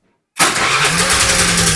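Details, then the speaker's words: Honda Vario 110 carburetor scooter after fixing no-start fault traced to the brake (ST rem) starter switch: starter spins and engine fires at once into an even, steady idle with a constant low drone; normal electric start. "Oke sudah normal lagi berarti masalah yang ada pada motor ini ada pada ST rem"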